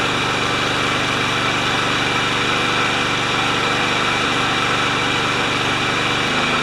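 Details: Craftsman mower Kohler single-cylinder engine with the dead-man control tie-wrapped open, intake seal tightened, during governor adjustment: a steady, even putter at a constant governed speed with one small dip near the end; running fine.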